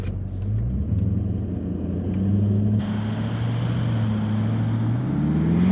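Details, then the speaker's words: Toyota 200 series Land Cruiser in sand, uphill climb starting in second gear (second start), high range, multi-terrain select in rock mode, heard from inside. Engine surges and sags as traction control engages on spinning wheels, hindering momentum from the start; vehicle barely advances. "From inside the vehicle, we can hear the traction control system engage and hinder momentum from the very start. This caused resistance against the spinning wheels, and we didn't get very far at all."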